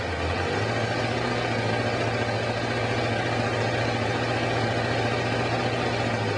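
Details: Kawasaki Concours ZG1000 after valve adjustment and new spark plugs, before carb sync: steady, even idle with a smooth low drone and no ticking or misses; the engine runs properly.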